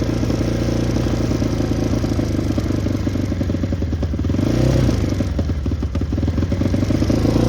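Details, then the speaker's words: Yamaha Raptor 660 ATV, freshly rebuilt engine, smoking: lumpy single-cylinder thumping with one brief pitch climb that sags straight back; will not rev out, suspected safety switch or re-jetting problem. "We got like a safety switch or a re-jetting problem. Something's not letting it rev out."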